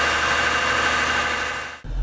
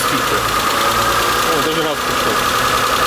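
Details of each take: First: Mitsubishi Galant 8 with 20-plus-year-old 6A13 V6, after replacing hydraulic lash adjusters with AJUSA units: smooth, even idle with steady low hum, no lifter tapping or ticking; repair successful. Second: Mitsubishi Galant 8, 6A13 V6 over 20 years old, just after replacing hydraulic lifters with AJUSA units: fast light tapping over steady idle as new lifters tick until oil fills them.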